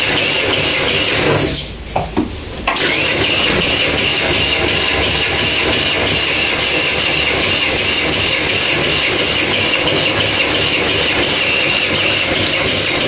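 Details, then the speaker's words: Kuba Valentino 50cc scooter that has lost top speed (now 50–60 km/h, was 70–80): labored starter cranking, hard starting, then a harsh high scraping rasp from inside the engine while running; loose stator rubbing the flywheel. "Arkadaşlar gördüğünüz gibi bayağı zorladık zorlamam sebebi de size kanıtlayabilir hayırlı sesler geliyor ne gidiyor çok sıkıntısı var"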